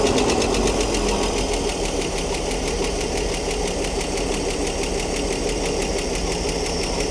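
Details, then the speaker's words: Ford D Series petrol fire truck idling after 16 years unused, no smoke or exhaust leaks, with a fast light ticking about three per second. Owner suspects a flat, uncharged hydraulic lifter, unsure of lifter type; the noise later went away. "I don't know if they got hydraulic tappets. Sounds like one of those is flat and not charged up."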